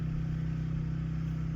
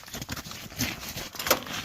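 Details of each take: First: Portable generator outside a window during a power outage, started via pull cord (electric start battery too weak), powering household loads: steady even low drone with fast regular pulse, no knocks or misses; runs smoothly. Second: Portable generator during power outage, pull-cord start attempts after fuel turned on and a squirt of fuel added: repeated pulls every two seconds, engine spins but doesn't catch; fuel not reaching carburetor.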